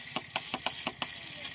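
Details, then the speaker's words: Bajaj Pulsar 150, kickless, on a cold morning start: six sharp metallic clicks from near the battery with the engine not cranking. The self-starter fails and the bike has to be push-started. "सुबह-सुबह जब bike start करते हैं तो देखिए किस तरह आवाज कर रहा है। और यहां एक बैटरी के पास आवाज करता है।"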